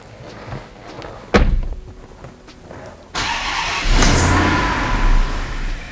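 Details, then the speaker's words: Twin-charged (turbo plus supercharged) Hemi V8 Dodge Magnum, early runs after first fire-up: faint ticks and a thud, then catches and runs roughly for a second or two and dies, unable to hold idle; owner initially attributed it to tuning. "it would start run for a second or two and then die start run for a second or two and then die"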